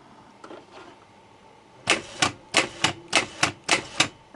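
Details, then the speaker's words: Starter motor on the bench after cleaning rust off the ground plate and cleaning the brushes: series of sharp metallic clacks about three a second as the solenoid pulls in crisply, then the starter spins when positive is connected; solenoid working. "Втягивающее реле работает. Подключаем плюс. Стартер работает."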